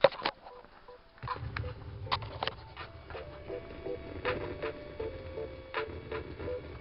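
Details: Campervan 12 V PC speakers fed from a laptop on charge via aux: irregular crackles and pops over low hum and hiss, appearing only when the source is powered; ground loop interference, eliminated with an inline filter.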